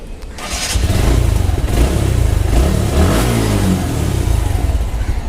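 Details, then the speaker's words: TVS Max motorcycle engine starting and revving: hard mechanical clatter over exhaust rising with revs; described as alarming but an easy fix, owner attributes it to cam-related top-end noise, not confirmed. "এখনই শুনতে পাবেন engine থেকে একটা শব্দ করবে। Friends, আপনারা শব্দটি কিন্তু ক্লিয়ারলি পাচ্ছেন, ভয়ানক শব্দ, কিন্তু আসলে এটা একদম ইজিলি একটি কাজ।"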